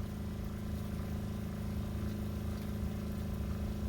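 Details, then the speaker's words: RV water pump after adding two 5-foot vinyl tubes on each end to cut vibration, filling drained water heater: steady, soft low hum with even pulse, no banging or chatter; pump running quietly and smoothly. "okay since the water heater has been drained it's filling up the water heater now and that is very very quiet it's probably hard to tell on the camera because you can hear the water pump running"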